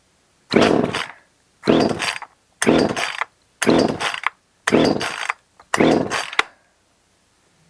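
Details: Echo CS 370 chainsaw after cleaning old fuel and carburetor, primed and choked: six short bursts of raspy two-stroke revving about a second apart, each dying off; now fires and runs but mixture not yet tuned.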